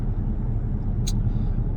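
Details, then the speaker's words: Jaguar with about 159,000 miles cruising on the motorway into London with a deep steady rumble from a worn, unrepaired wheel bearing, now noticeably louder than before. "I still haven't fixed the wheel bearing so you can probably hear it's got quite a bit louder"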